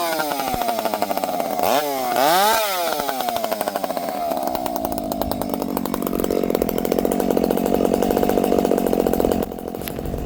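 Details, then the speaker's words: Chainsaw revving then warbling and hunting down to idle, pitch wavering, usually a lean low-speed jet; low jet being richened: lean low-speed jet. "You can hear the saws kind of warbling down to idle. Um, that's usually a lean lowjet."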